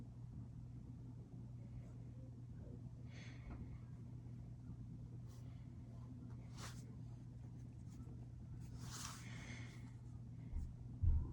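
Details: Westinghouse Art Metro ceiling fan motor giving a steady low electrical hum from a bad run capacitor.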